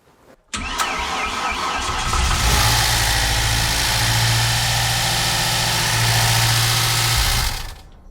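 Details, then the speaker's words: 1993 Ford 2.3L Lima engine, first start after install, automatic transmission being filled with fluid as it starts: rough, loud idle with a low drone and harsh rasp. Owner fears the front pump or an improperly seated torque converter. Abnormal noise. "What the hell was that? Why did that sound so bad?"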